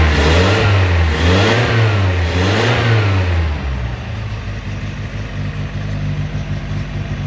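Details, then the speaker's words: Datsun 620 custom mini truck, California import, started on choke: revs rise and fall a few times, then smooth, steady, quiet idle, no misses or knocks, no smoke. Normal idle. "i should hear engine wise extremely quiet it's on choke chokes out no smoke"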